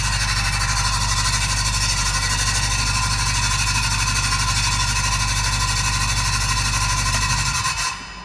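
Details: Range Rover L322 automatic: a steady high squeal over a loud, even engine drone until it winds down; the squeak seems to come from the gearbox. The oil pump is fine and the truck drives forward and back; cause unclear.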